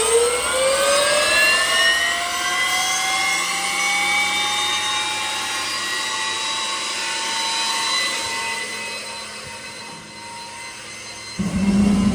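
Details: Boeing T50 jet turbine-powered Camaro running on the lift with wheels up, in gear after topping up transmission fluid: loud steady turbine whine, tones climbing smoothly as it spools then holding even; healthy turbine running.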